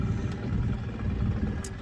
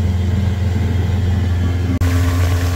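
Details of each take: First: 1983 Evinrude 70hp outboard in neutral on the water, steady low drone idling noticeably fast. The idle speed is set too high. Earlier, shifting from reverse to neutral spiked it higher still, and turning it down caused lag when put in gear. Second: 1983 Evinrude 70hp outboard after new spark plugs and compressed-air cleaning, which cured a loss of full throttle. It holds a steady, strong drone at high revs near 54–55 km/h with no misses, running normally.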